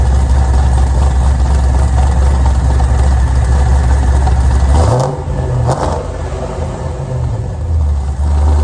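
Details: Pontiac G8 V8, before engine removal to replace a destroyed Circle D torque converter with worn lockup clutches. Steady idle, then clean blips rise and fall smoothly with no clatter; healthy.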